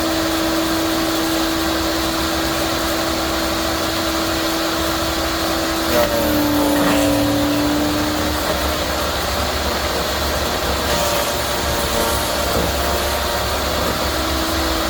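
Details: Yardworks electric garden shredder at full speed: steady motor whine sags in pitch as a big, very hard branch is fed, then climbs back to full speed; shredding normally under load.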